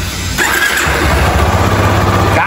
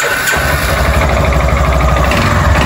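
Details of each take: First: Yamaha Fazer 250 after the engine was rebuilt with a new cylinder, having shown engine noise and a bad cam chain tensioner; catches quickly and settles into a clean, even idle with a brief rev and no tapping or rattle. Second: Yamaha Fazer 250 single idling and revved: hard metallic knocking over the idle that swells with revs; piston skirt slap, owner plans to replace it.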